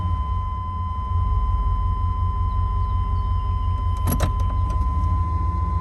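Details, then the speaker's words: Warm 1995 GMC Suburban 2500 4x4, 5.7 TBI V8, automatic, after new exhaust, O2, MAP, coolant temp sensor, fuel filter and lines: idle hunts between 500 and 1,000 rpm with a low rumble; surging idle, often stalls when put in gear, cause not yet found. "The RPMs will start to surge in the lower range, searching between 500 and 1,000 RPMs to maintain idle."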